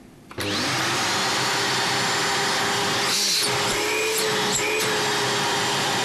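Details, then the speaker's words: Scarlett SC-280 1600 W vacuum, repaired after water and dirt damage to the motor bearings and power regulator: spins up quickly to a steady high whoosh, no grinding or bearing rattle, stops softly. Runs clean. "работает чётко посторонних шумов нету останавливается мягко"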